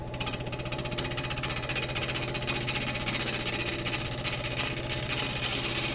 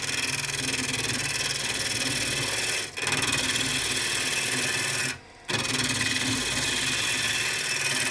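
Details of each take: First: Woodturning cross-grain elm blank on a lathe: steady ticking of about three cuts a second over the lathe hum as the gouge rides the out-of-round, wobbling blank cleanly, letting wood come to the tool instead of pushing, so no bounce. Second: Peeling cuts truing end grain on a reversed bowl of very hard elm on the lathe: rough, scratchy rasp runs steadily through each cut with brief gaps between passes. The gouge edge has now gone dull.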